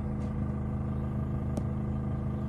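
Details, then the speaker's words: Indoor air conditioner unit mounted above a hotel bed, running at night. A constant low buzzy hum with a steady rattling edge, rattling like an old fridge; the loose part is unidentified. "Во-вторых, оно ужасно дребезжит ."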